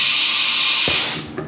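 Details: CNC tool changer spindle, with the pre-charge firing before the main tool release piston: strong air hiss, then only a soft thud as the tool releases, no hard bang.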